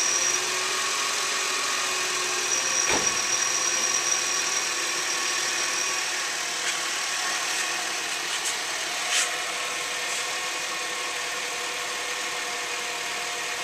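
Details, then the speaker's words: 2001 Subaru Outback idling for a couple of minutes after an oil change to check for leaks. Steady, even idle with a smooth hum and high-pitched mechanical whir, no knocks or misses. Normal idle. "Okay, now we're going to run the engine for a couple minutes, make sure it doesn't leak."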